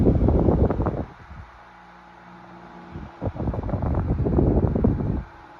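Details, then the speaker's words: 1975 Toastmaster DeLuxe 12-inch three-speed table fan model 7310 on low speed after capacitor replacement; blade previously slowed to a stop on low, now a steady quiet hum holding speed between gusts of wind, normal. "drop it down below again see what it does that's where the problem became obvious before when you drop it down to low speed and it would just it would still be running but the blade would just slow down to a stop seems to be fine now"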